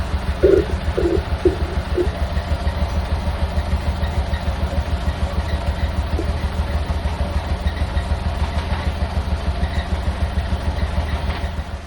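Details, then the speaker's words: Renault Kwid 0.8-litre 3-cylinder with a bad misfire and low power, heard at the tailpipe: uneven, stumbling exhaust chuff at idle with dropped beats; engine shaking badly; scan data didn't identify the misfire. "Hope you heard that misfiring sound from the tailpipe, and now let's see what is really happening in the front end. You can see that engine is shaking badly."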